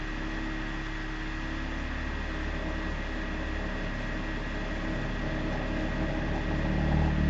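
Low, steady drone with a faint pulsing buzz that swells slightly toward the end; the boiler is vibrating, cause not yet pinned down.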